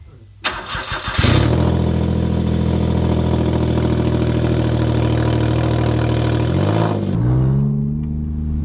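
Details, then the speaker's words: Smart car after custom lightweight exhaust: deep, even throaty drone, no rasps or leaks; sounds better than stock. "ah well i think that sounds a lot better than stock"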